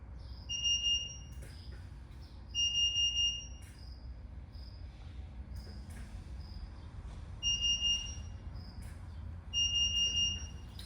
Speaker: actually that's off so it's four quick beeps that's the sound that it makes distinctively different than a smoke alarm by intent that that's going to be your carbon monoxide alarm